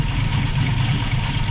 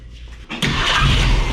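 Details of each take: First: 1965 Mustang straight six, Autolite 1100 carburetor after adjustments: low, slow, lumpy idle with deep steady rumble, running nicely otherwise; idle speed too low, idle speed screw needs turning up toward 800 rpm. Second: 1965 Ford Mustang straight-six with Autolite 1100 carburetor, choke disengaged, base screw settings, timing at six degrees BTDC before adjustment; quick crank, catches at once, settles into steady even idle around four beats a second; runs great after idle screw fix.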